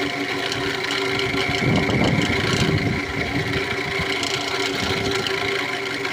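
At idle a steady high whine and faint chirping ride over the engine hum, pointing to a worn alternator pulley bearing.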